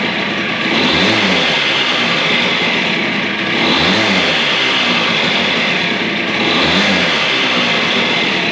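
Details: DS90 two-stroke after rebuild with used replacement crank, first start and heat cycle, idle raised slightly: crisp, even blips about every three seconds settling cleanly back to steady idle; runs healthy.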